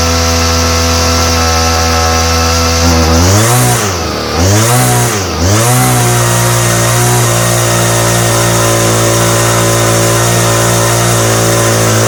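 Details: Homelite string trimmer, no model number, new non-OEM Chinese aftermarket carburetor; revs drop hard twice and recover, then hunt up and down rhythmically, bogging and surging like a carburetor problem, with popping. Cause suspected, not confirmed.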